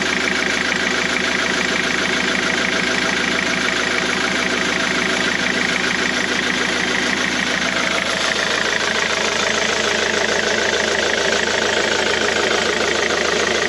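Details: Diesel: steady idle with a busy, tinny rattle riding on top at roughly four beats per second. The owner suspects a noisy crankshaft pulley.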